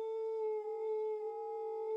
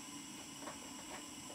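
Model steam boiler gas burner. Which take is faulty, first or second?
first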